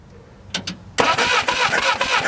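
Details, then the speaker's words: Barn-find Willys Jeep, 4-cylinder, year unknown: after a couple of clicks the starter cranks with an even, fast chuffing rhythm but it never catches. No spark at the plugs despite spark at the points and power at the coil; the coil was later replaced. "Still no spark. We got spark at the points, power at the coil."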